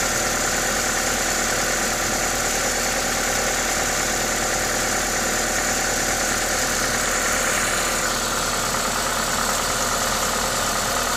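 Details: Toyota 2ZZ-GE engine at normal idle: steady, even tick-over with constant intake hiss from the induction kit on top, no knocks or misses; healthy engine.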